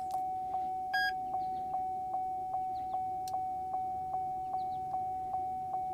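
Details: Clone GM Tech2 scan tool with CANdi interface module: steady mid-pitched beep repeating about two and a half times a second, the tool failing to detect the module; loose solder joints in connecting cable suspected.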